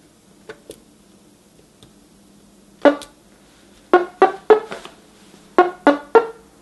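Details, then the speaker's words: A customer's NuTone LBC55 electronic musical door chime, before repair, plays the anniversary waltz as scattered plucky notes with uneven gaps and no recognisable tune. The chime is faulty and garbling its melody. "so believe it or not that's the anniversary waltz and again that's not what it's really supposed to sound like"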